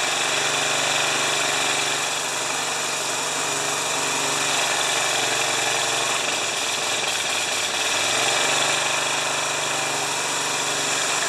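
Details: Briggs-powered pressure washer that wouldn't spray, started after carburetor refitted and old fuel swapped out: small engine settles into a steady, even drone with no misses or surging; running cleanly.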